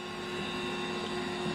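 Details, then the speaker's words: Vintage Compaq ML330 Pentium III server with SCSI drives; steady high whine over even fan rush, no clicks or grinding – normal SCSI drive whine. "Wow. I haven't heard a scuzzy whine in a long time. Yeah. You hear it and you think, wow, that SSD sounds bad."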